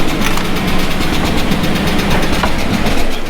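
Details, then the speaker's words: Chevy pushrod V8 truck after valve adjustment, restarted after sitting: quick, light ticking at engine speed over a rough idle, loud valve clatter probably from one bank. "valve clock all right let's set up and go through this side again until see we can't figure out where that yeah pretty sure it's coming from this side can actually hear it"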